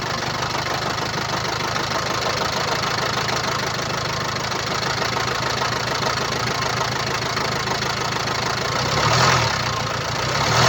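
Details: 2017 Land Rover Discovery V TD4 2.0 diesel (R4/2.0TD4, 132 kW/179 PS), 109,695 km, at idle: fast, uneven rattling tick about four per second over diesel clatter from an elongated timing chain, which can cause rough running.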